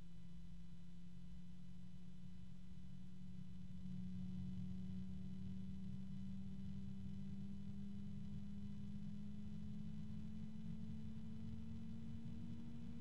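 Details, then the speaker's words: Lian Li Uni Fan SL-INF 120 ARGB reverse-blade case fan: steady hum near 200 Hz with strong harmonics, pitch creeping up as speed rises; quite a noisy tonal fan. "there's another strong one so you can hear that this is quite a noisy fan to be honest and you would think that they would figure out a way to lower the noise"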